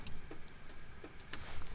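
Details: 1997 Mitsubishi Eclipse RS with a no-start, key on with engine off: light crisp clicks at a flasher pace over a low hum, the hazard flasher working normally.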